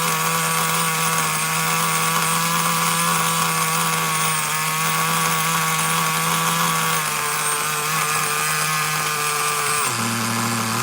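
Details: Traxxas Nitro Slash nitro engine on the bench: a high, steady scream that holds without dropping to idle, then the pitch falls. The throttle linkage is slightly off and holding the carburetor partly open.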